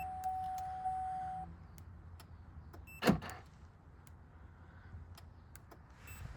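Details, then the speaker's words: Turn signal flasher on a 2008 Chevy Malibu LS at about 130,000 mileage, engine not running: light, sharp clicks about twice a second with one louder clunk midway; normal turn signal clicking. "Yeah, you can hear the actual clicking. For the turn signals, don't set the car."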